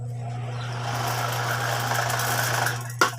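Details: Spin dryer being repaired, motor running: steady low electric hum, faint mechanical rattle and a couple of handling knocks at the end; motor runs.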